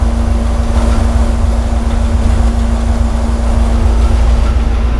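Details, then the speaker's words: 1970 GTX 440 V8 on the dyno before rebuild, warm idle at 850 rpm, choke tied open: smooth steady rumble, no ticks or knocks; oil pressure 40 psi, air-fuel ratio good; timing found at 50° full advance, backed to 34°; normal idle. "Well, the oil pressure is good. We're at 40 pounds at 850 RPMs. Everything's good so far. Air fuel ratio is good."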